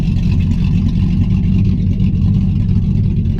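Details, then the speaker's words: Cammed Chevy Silverado pushrod V8 with stall converter, idling in Drive; deep uneven loping rumble, a little louder than in neutral because of the load, feels like it wants to roll, healthy. "it kind of sounds like it wants to uh roll uh and it doesn't really I mean you still get that cammed effect but uh not like throwing in a neutral it's a little louder too cuz there a load on"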